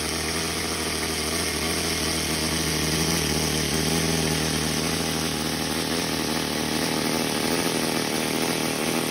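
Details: OS Max NSU Wankel nitro rotary model engine being readied to fly again: smooth, high-pitched buzz holding steady with no misses, knocks or surging; messy but running cleanly and healthy.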